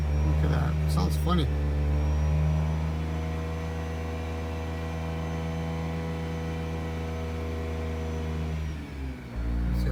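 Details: Mazda RX-8 rotary with prior starting issues, revs dropped toward 3k after shooting flames: idle sags and hunts with uneven pulsing, wants to quit near 1k; check engine light flashing, overheating, coolant spraying; owner suspects blown head gasket or worse.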